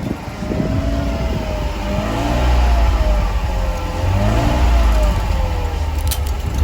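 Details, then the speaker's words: 1991 Mercedes 300SL R129 petrol engine after sitting unused for years. It rises and falls through light revs with even firing and no knocks or misses. It sounds healthy but needs a full tune-up. "as you guys can hear it sounds pretty healthy it just needs a whole tune-up since it's been sitting for I don't know how many years"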